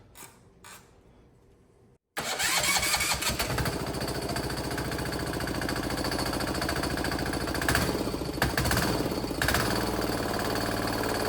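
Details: 168F 3.5 HP single-cylinder diesel just converted to electric start: catches after a pause, then runs with a fast, fairly even chuff. Slow start; owner thinks the injector may need bleeding again.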